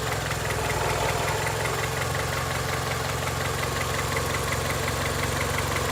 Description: 2002 Honda Accord - 260,000 miles. Engine makes knocking noise. Can’t figure out if it needs a valve adjustment or if it has rod knock.